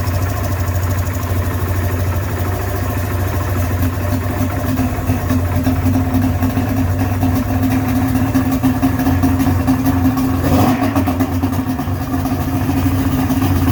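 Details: Johnson 55hp two-stroke outboard that had been submerged, run after a silicone repair and not yet tuned. It idles with a ragged, uneven burble and occasional stumbles. It sounds better than before but still runs rough, and the carburettors need adjustment.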